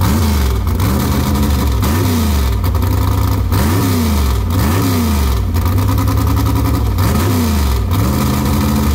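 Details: Engine just reassembled after a cracked head could not be repaired: V8 blipped repeatedly, revs climbing and falling cleanly with even firing and no knocks or misses; runs healthy.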